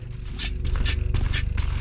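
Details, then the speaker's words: New DVO Onyx SC D1 fork on a Pivot Firebird 29, on the trail: rhythmic raspy scraping with each compression, roughly twice a second; owner suspects the OTT spring in the left fork leg lacks grease, unconfirmed. "You hear that spring noise? You're gonna hear it right here on the trail. I'm sure that you heard some of that noise. It's, I believe, the OTT spring inside the left leg of the fork that is lacking grease."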